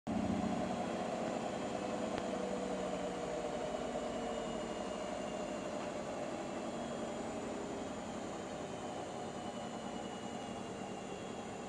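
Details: Hotpoint appliance: steady running hum with fast, uneven ticking about four clicks a second; clicking noise, cause unknown.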